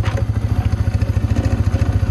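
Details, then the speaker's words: 2009 Polaris Sportsman 550 XP with a stripped shifter and lurching forward in gear, running. Deep rapid thumping at about eleven beats a second with a low clatter from the rear; the clutch or transmission is suspected. "but it sounds like it would be in the clutch maybe it's in the transmission let's go find out"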